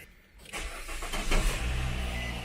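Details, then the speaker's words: 2015 Nissan Rogue after AC compressor replacement: engine cranks, catches within half a second and settles into a smooth, even idle; the old compressor's whirring is gone and the engine sounds healthier, normal start and idle. "the whirling is gone we're gonna turn this up on high AC max recirculate the engine sounds a lot healthier being that that compressors not walked up and making whirling noises now"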